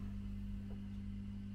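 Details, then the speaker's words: A Selmer Treble & Bass Truevoice 50 valve amp, restored with new caps, is brought up at roughly half voltage with bias at 20 V and climbing. A steady low hum is present even with the volumes down. The source of the hum is unknown. "oh well that's got some hum i've got is that the volumes i'm turning down we've got a bit of hum there"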